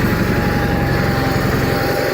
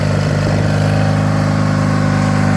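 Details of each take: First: 1985 John Deere 318 garden tractor twin, run after three months in storage, idling slow and slightly rough with a faintly wavering putter. Owner says it is hard to start when really cold, stalls if throttled down quickly, the carburetor needs a rebuild, and suspects the low idle is set too low. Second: 1985 John Deere 318 garden tractor twin, running after three months in storage: a steady, even drone with no knocks or stumbles. The engine sounds healthy and good.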